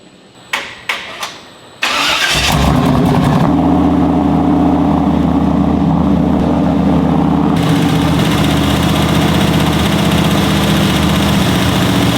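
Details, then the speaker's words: 1985 Chevrolet K20 V8 with bigger cam, revived after years in a field, idle mixture screws adjusted for best vacuum (13 inHg, high elevation): few clicks, short crank, catches and settles into steady, even idle with slight cam lope. Normal idle. "that's where it sounded the best so I think we're pretty decent"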